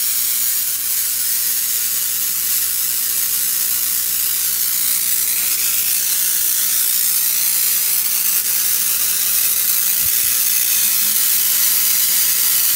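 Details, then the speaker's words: Tesla coil unbalanced by a capacitor plate added on top between it and the primary: loud continuous crackling screech at the spark gap, no steady tone, not tuned; detuned Tesla coil. "so right now this is I believe up too close so you can hear it screeching over here at the spark gap"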